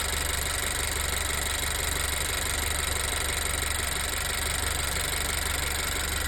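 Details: Turbo GDI Honda EarthDreams engine at steady idle, loose uneven light top-end tick over a slightly loud engine note; on 91 octane with MotorKote and Marvel Mystery Oil added, ticking temporarily gone then returned; owner also suspects belt tensioner, cause unclear.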